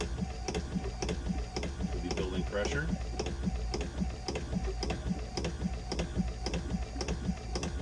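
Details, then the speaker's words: Vacuflush toilet after duckbill valve replacement, holding tank filled: low steady hum with an even tick about twice a second; plenty of pressure, water passes, clicking as the first tank empties and pressure builds normally. "plenty of pressure you can hear the water going through and then we hear clicking like that that's pretty much the water is empty out of that first holding tank so now what it's doing is building pressure in the tank"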